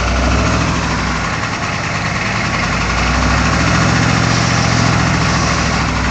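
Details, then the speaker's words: Engine held around 1,500 rpm in neutral with a low, steady groan under the drone; owner suspects the throwout bearing or transmission, source unclear. "I guess you could call it a groaning sound that I'm getting with the transmission and the throw up bearing"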